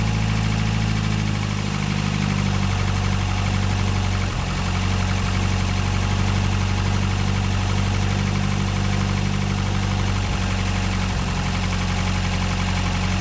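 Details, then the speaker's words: Ford Escort RS Turbo, first stone-cold start after sitting all winter, freezing weather, new exhaust and roller rocker arms fitted: deep, steady idle with even low rumble, no knocks or misses, settling in smoothly; healthy. "so that's the first start from stone-cold"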